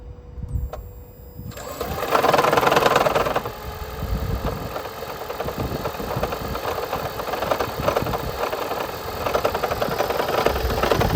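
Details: 2010 Gen3 Prius, 395,000 km, cool engine: quiet whir, then sudden rough uneven catch with ragged knocking pulses before steadying; recurring hard start from head gasket leaking coolant into cylinder 1, fixed by head gasket replacement.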